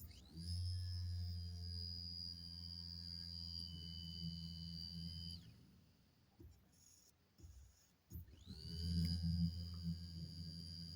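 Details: Mazda 626 GD electric fuel pump, repaired, bench-tested before reinstalling: steady high-pitched whine with an even low hum, cutting off and restarting cleanly; pump works normally.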